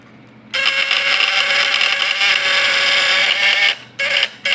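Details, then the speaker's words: Fish-stunner (setrum ikan) platina point-vibrator type PS, points set strong and tested on a lamp load: steady harsh high buzz starting abruptly, holding even under load, then short bursts; normal vibrator buzz under load. "Nah, kan udah beda dari yang tadi kan, dari suaranya. Coba kita setel kuat."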